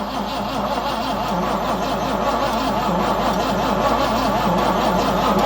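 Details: Cheap aftermarket Amazon carburetor just installed: steady rhythmic cranking, about three turns a second, never catches; fuel starvation, carb inlet filter found clogged with dirt (fuel pump possibly damaged by bad old fuel).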